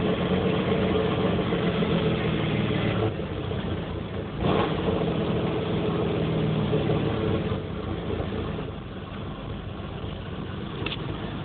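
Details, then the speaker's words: 1994 Chevrolet Camaro 3.4L V6, warm, idling about 1000 rpm: uneven, loping idle like an aftermarket cam though stock; running rich with sooty injectors, strong exhaust smell, catalytic converter removed; cause unknown. "when it runs it sounds like it has a camshaft but for like an aftermarket camshaft but it doesn't"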